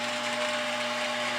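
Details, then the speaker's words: OmniBot 2000 arm function test (arm extends, retracts, rotates, claw opens and closes): short, steady high-pitched motor whir with a constant tone that stops cleanly; arm drive runs smoothly. "goes out arm goes in arm turns rotates it opens the club closes the club"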